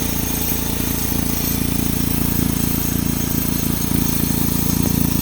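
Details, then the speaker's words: 2007 Saturn Sky idling with a steady rattle over a low exhaust drone; all three catalytic converter flange bolts were missing their nuts and washers. It was found while hunting a lean-code vacuum leak. "but then I started hearing this weird rattling noise"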